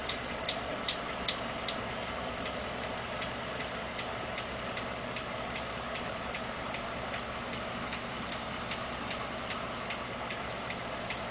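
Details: 2012 Ford F150 5.0 V8 warm idle after running a while; crisp even ticking about 2.5 per second; owner told it may be normal injector, fuel pump or tolerance noise; source undetermined.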